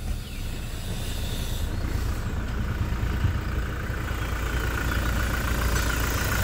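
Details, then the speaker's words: Toyota Hilux 2018 with 2GD 2400 cc diesel, 4x4, at idle right after key start: deep, steady diesel rumble with even beat, no knocks or misses; very smooth, even engine, normal diesel idle. "mesin sangat halus rata"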